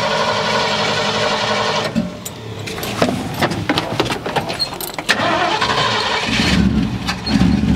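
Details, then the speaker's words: 1972 Ford F100, unrun over 10 years, 1408 carburetor with sticking floats overflowing: uneven stumbling idle that surges and sags with throttle blips; rough running, needs a new carburetor. "Yeah, it just really needs a new carburetor is all it needs."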